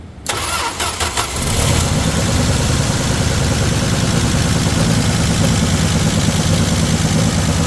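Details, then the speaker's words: 1978 Dodge Aspen with 225 slant six, sat eight years, after fixing misfire to run on all six cylinders; brief crank then catches and settles into smooth, even idle; normal start. "That sounds like a dozen, half a dozen if I ever heard one. It's gotta be worth more now."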